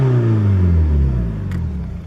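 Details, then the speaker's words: VW Golf TDI diesel, earlier smoking heavily: deep rumble easing smoothly down from a rev, no misses, knocks or stumbles; running clean, owner may add ATF to fuel tank. "So yeah, now it's running good. Maybe I'll throw some ATF in the tank again and it'll smooth right out."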